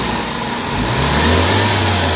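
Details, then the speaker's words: Toyota Vitz petrol engine after parts replacement, cleaning and wiring repair: idles smoothly, then revs cleanly and holds steady with no shudder or stumble; vibration and jerking fixed. "Okay na tahimik na yung andar so check na check natin yung ano yung engine okay na pa"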